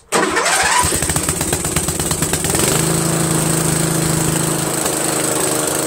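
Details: Briggs & Stratton 13hp flathead engine on an MTD Cub Cadet lawn tractor, start after carburetor replacement; catches within a second, settles into steady even beat, no misses or knocks; healthy, owner pretty impressed.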